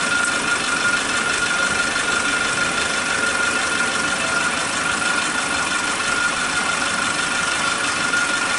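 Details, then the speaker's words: Suzuki Katana engine idling after the faulty old spark plug wires were replaced with a cheap new set: steady, flat idle with no popping, combustion even, no longer cutting in and out; normal idle. "Ini lihat suara mesinnya itu stabil sekali, tidak ada tembakan-tembakan lagi. Menyatakan bahwa pembakarannya itu merata ya, tidak terjadi seperti sebelumnya yang kadang mati kadang hidup, kadang-kadang mati seperti sebelumnya."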